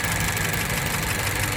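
An idling petrol engine runs with an uneven, stumbling beat that points to a misfire.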